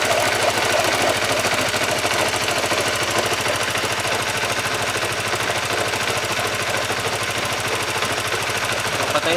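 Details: Honda CBR150R motorcycle engine, worst on cold starts, steady metallic knock about three beats a second from a broken bearing inside the engine, also causing clutch housing noise; before overhaul.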